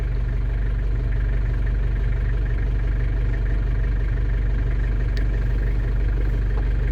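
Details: London Taxi diesel idling while bleeding automatic gearbox after sump gasket and fluid renewal, holding each gear about 10 s: deep steady idle about four beats a second, no knocks; normal idle.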